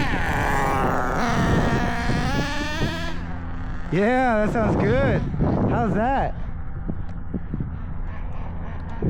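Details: Traxxas 4-Tec with a new OS 21 nitro engine on first start and break-in, crankshaft bearings fitted by hand: a high buzz rising and falling cleanly through quick blips, steady between revs. Runs fine.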